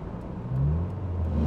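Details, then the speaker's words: Ford Probe from Copart on a road trip, after the speedometer starts jumping about 10 mph: engine note climbs and hums steadily without the car picking up speed; the transmission may be failing. "All right, well, we may have just lost it. Yeah, we may have just lost our transmission. Oh, this is bad."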